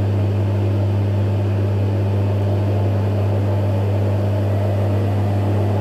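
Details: Electrolux EWF 16589 W washing machine, 60 Cotton cycle: constant low electric hum, drain pump running nonstop and sounding unhealthy while pumping out water; drum bearings also noisy.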